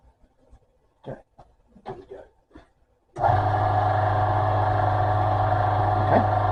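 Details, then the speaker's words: Salvaged lathe motor on a cheap speed controller, turned to full and run without load: after handling knocks it holds one steady hum with no audible rise or fall; owner unsure the controller changes speed, suspects voltage. "Not sure what I think about that. Not sure if it's um actually changing the speed that much or if it's just getting to a point where the voltage"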